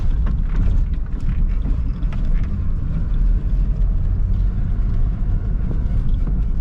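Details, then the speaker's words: Lada 4x4 Niva on a rough country road after the seat was removed and lubricated with Litol grease: deep steady road rumble with no seat squeak or creak. "приехал я на тестовый полигон простонародье дорога на даче ты что я вам скажу скрипов нет"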